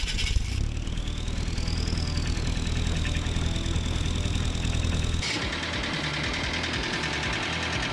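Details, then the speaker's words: Willys wagon with a VW TDI diesel that had a blown head gasket: heavy steady knocking about three a second under the clatter, a bad rod knock. Owner thinks water from the head gasket got into the oil and destroyed the engine; being replaced with a built ALH TDI. "You can hear that really bad rod knock this thing has."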